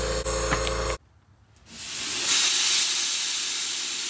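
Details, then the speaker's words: MCI 9 bus air brake system: loud steady hiss of compressed air escaping from the air line behind a brand-new leveling valve, between the wall; air also leaks from the bottom of the inversion valve, thought to be fed back from this leak. "It's definitely got a leak. Also coming out of the bottom of the inversion valve, which I think is because this is leaking in here."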